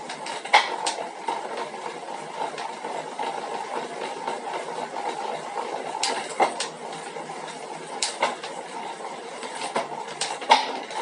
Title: 2021 Elite Suito Knocking Noise